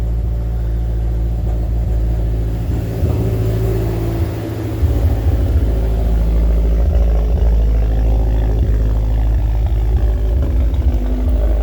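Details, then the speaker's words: First start after installing a Treadstone TR8 intercooler with JBR piping, a Damon Stage 3 dual vented oil catch can and PCV plate, a BNR S3v4 turbo and a new tune, battery charged to 12.1 V: smooth, even idle with no ticks or stumbles. "Has been a while since she has started, but she is started, everybody. Sounds like she's running pretty good."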